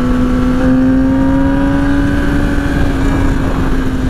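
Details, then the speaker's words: Rebuilt wrecked 2009 Yamaha R6 with 34,000 miles on its first test ride: a loud, steady exhaust drone whose pitch climbs smoothly under throttle, with no knocks or rattles. It runs healthy. "not running too bad. The exhaust is pretty loud. It sounds good, though."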